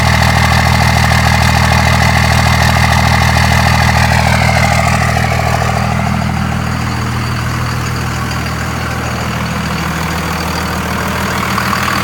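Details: 24-valve Cummins diesel after replacing a bad injector; steady even idle clatter with smooth low drone, no miss or stumble; normal diesel idle.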